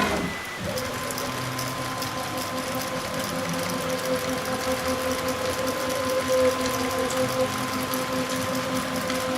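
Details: Onefinity Gen 2 Journeyman CNC machine: a steady thin whine over a busy chatter as the axis travels. Bearing noise is suspected; the source is not confirmed.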